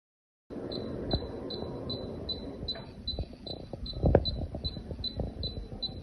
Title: 分体机内机滴滴声不启动故障排除指导 Troubleshooting guide for the split unit IDU not starting the beeping sound